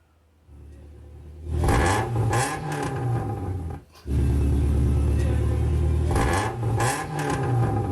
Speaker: so what happened here is my teacher was driving along his exhaust pipe actually fell off of his uh vehicle and so there was a big scraping noise but also you could hear how loud the exhaust sounded